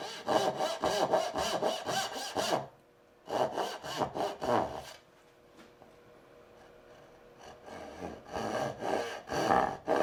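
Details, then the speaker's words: Hand saw cutting dovetails with the board set too high in the vise: rough rasping strokes about two per second that stutter and buzz with chatter, which goes away when the board is lowered. "This is a little too high. And it's just chattering a little bit. Can you hear the difference?"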